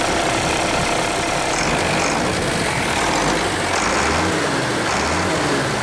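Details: International truck with DT466 diesel, just bump-started by towing: steady even diesel clatter at idle, no misses or knocks; excellent running engine, owner considering moving it to another truck.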